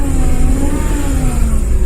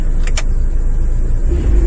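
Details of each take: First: Dodge Caravan 2.4 after the belt tensioner fix, AC on: faint steady whine over the engine rumble, pitch following engine speed, heard when revving; AC thump is gone and AC blows cold; whine cause unconfirmed, possibly a pump. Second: Dodge Caravan 2.4 after repair of the AC-related thump: deep engine rumble pulling off in gear with the AC on, no thump at take-off and a normal-sounding accessory drive. A faint whine may remain, cause unconfirmed.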